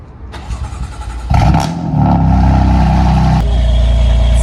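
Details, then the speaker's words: BMW M4 S55 cold start after the tappet cover was replaced to cure a PCV whistle; a clean crank into a loud, steady idle with the whistle gone, though a drivetrain error appeared moments later. "car actually sounded fine on cold start, but a few moments later we received the most famous fault on BMWs, which is drivetrain error."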